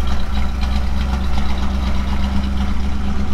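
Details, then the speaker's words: Engine roughly reassembled for a first start on a new project: steady, even low rumble at idle with no rattles, knocks or misses; motor sounds good, though exhaust leaks remain. "it lives motor sounds good there's no rattles or kns or anything there's um some exhaust leaks and stuff to sort out"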